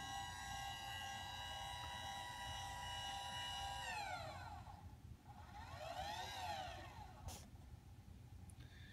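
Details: Celestron CGX mount with Edge 1100HD at power-on homing: steady high motor whine for four seconds, gliding down in pitch as the right ascension axis slows and stops; normal drive, though DEC axis later fails to move.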